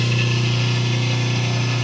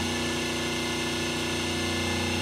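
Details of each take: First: 5 hp three-phase motor on 220 V single phase with only a start capacitor, released after start: loud steady low electrical hum over a strained running tone; unbalanced, would overheat within half an hour, lacks power and may trip breaker. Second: 5 hp three-phase motor on single-phase 220 V with three 36 µF run capacitors and a 450 µF start capacitor: even, soft hum with steady pitch and no growl, sounding softer; winding voltages about 207–208 V, nearly balanced. Normal motor hum.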